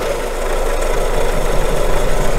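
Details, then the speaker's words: Renault Megane 2 just after a confident start: the idle carries a low droning hum with a rough rumble from the belt drive. The mechanic suspects water pump noise, and the crankshaft damper pulley shows play. Accessory drive noise at idle, cause unconfirmed. "Запуск уверенный. Но мне вот сразу не понравится. Шум помпы, по-моему, идет."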